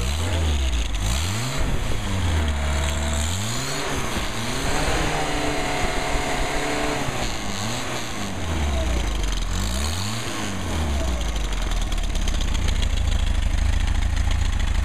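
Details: 1959 Mercedes 190c engine on test stand, final tuning, timing set at 38 degrees maximum total advance: revs up and falls back cleanly several times, smoothly rising and dropping in pitch; normal revving.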